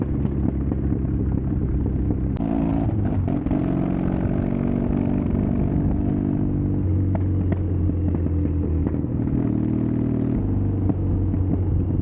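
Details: Custom Triumph Bonneville T100 on Down & Out Customs drag pipes, before stage 1 kit and ECU tune: loud deep twin rumble with sharp cracks and pops as revs rise and fall; untuned exhaust backfiring and popping.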